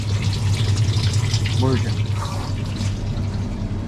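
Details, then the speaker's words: 2025 Stabicraft 2350 boat, deck wash and bait box pump priming with the valve open: a steady low electric hum with water gurgling and sucking as the pump draws water normally. "Now I can hear it sucking up. Valve's open. There you go."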